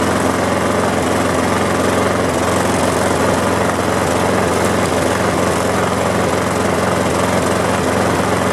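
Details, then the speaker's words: Lawn mower engine just after the air cleaner was cleaned and refitted: a slow, slightly lumpy idle with an uneven beat. The governor spring tab is bent back, so the idle sits too low; the fix is bending the tab back out. "seems to be idling pretty low so let's uh see this little tab can you see that the thing is bent way back"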